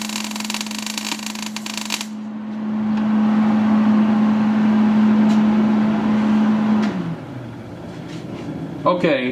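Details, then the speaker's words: MIG welder set for about 22 gauge sheet while welding 1/4 in plate: steady buzzing hum with uneven crackle instead of a crisp sizzle; wire feed speed too low to give enough amperage, so the weld does not penetrate. "guys heard how that sounded it didn't sound good I basically have this setting for for about a 22 gauge uh thickness of material and you can see this is4 in material that I'm welding on"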